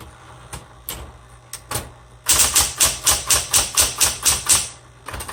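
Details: 1960s Smith Corona Coronet electric typewriter, repainted, color selector on black: a low motor hum under crisp even key strikes about two per second, each snapping cleanly; types well, a bit noisy.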